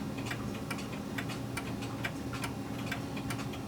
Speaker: so what i'm detecting right now is a tick tock tick tock tick tock tick tock tick tock tick tock it's not even okay